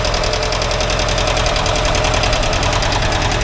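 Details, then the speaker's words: 1982 air-cooled VW Vanagon Westfalia engine at warm idle during a tune-up: fast, light tickety-tack valve-train ticking, about three per second, one side noisier; owner calls it normal, later adjusts valves, clattering much reduced. "This sounds like a Volkswagen motor. Tickety-tack, tickety-tack. So I don't know if it's supposed to sound any different than that or not. I can hear the valves here going, so that's alright. That's normal noise."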